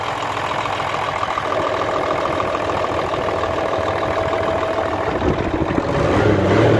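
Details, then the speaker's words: Hino Euro J08C six-cylinder truck diesel idling after air-compressor fault repair, checked for noise and smoke; steady even clatter with no heavy knock, now clear and healthy. "बस ठीक है माशाल्लाह कलियर हो चुका है"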